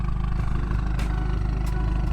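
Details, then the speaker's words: Dodge Caliber SRT-4 turbo four-cylinder, first start in years after engine rebuild: steady low drone, even, no knocks or rattles, turbo audible; normal running. "yeah all right up gang we in there sound good sound healthy you hear that turbo"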